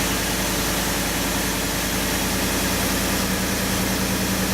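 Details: 2015–2019 Ford F-150 (any engine) cold start: smooth, steady idle under a hiss with no clack or rattle from the active grille shutters (louvers), which can otherwise mimic timing chain slap; healthy.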